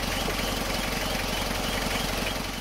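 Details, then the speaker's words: Isuzu Panther diesel fitted with an aftermarket (KW) fuel priming hand pump, left idling to test whether it draws in air. Even, steady chug that keeps running with no stumbling or dying: normal idle. The mechanic says the injection pump's suction decides air ingress. "pakai pompa yang model KW model yang Mercure ini biarkan sampai lama ya mesinnya masih tetap hidup"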